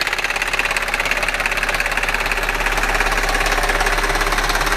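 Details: Audi A6 4F 3.2 FSI quattro: steady fast ticking, about three or four clicks a second, over the running engine; top-end clatter and nailing, cause not pinned down.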